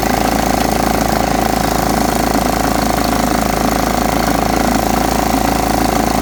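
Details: John Deere STX38 mower, parked about nine or ten years, revived with new battery and freed stuck carburetor float: steady, even beat at constant speed, no stumbling or hunting; running properly.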